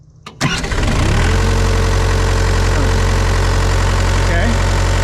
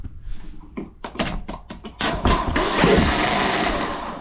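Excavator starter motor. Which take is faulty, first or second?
second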